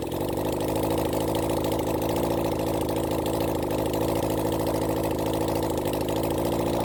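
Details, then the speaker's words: Honda CB400 Four engine on bench run during carb balancing: steady idle with uneven, stumbling beat, one cylinder dropping out; misfire appeared suddenly, suspected faulty coil pack (gave a shock); unconfirmed. "you'll probably he this bik got quite a bit of a misfire suddenly it picked up"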